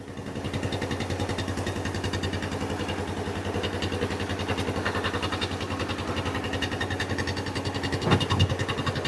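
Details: Kawasaki Bayou 300 ATV, parked about two years, after carburetor cleaning with good spark confirmed despite a weak-sounding starter: the single-cylinder engine starts and chugs at a steady, even beat with no misses; normal running.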